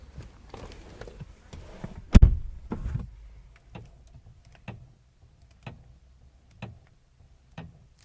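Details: VW Passat CC: sharp ticks and knocks about once a second while steering, with one heavy thunk; steering knock of unknown cause.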